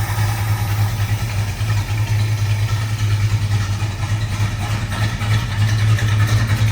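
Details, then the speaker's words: 1971 Plymouth GTX V8 with high performance exhaust manifolds, idling: deep, lumpy but even burble with loud rowdy exhaust, no ticking or knocking. Normal idle. "you can hear how Rowdy that exhaust sounds with those high performance exhaust manifolds on there"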